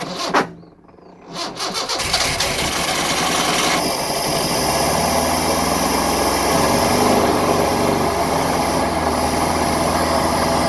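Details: 1974 Honda Civic series 1, 1.5 L carbureted engine, project car started with the choke on: a few cranking turns, then it catches and settles into a steady, even idle; a little smoke, possibly oil.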